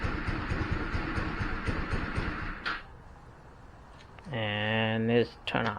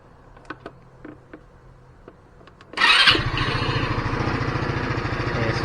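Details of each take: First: GY6 150 scooter after sitting a week, battery and spark plug checked good: engine runs a few seconds, rpm sags and dies, restart attempt fades too; owner suspects fuel starvation from a clogged carburetor main jet. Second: GY6 150 scooter that kept dying after a week parked, after removing the carburetor and cleaning the main jet: after a few clicks engine catches at once and settles into an even, steady low idle with no stumbling.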